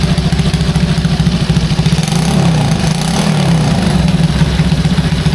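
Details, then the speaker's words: Restored Honda C200 motorcycle after full rebuild: steady, even low putter with a quick throttle blip midway, settling straight back; idles cleanly, though carb may still need tuning. "I can leave a running long, she'll smoke me"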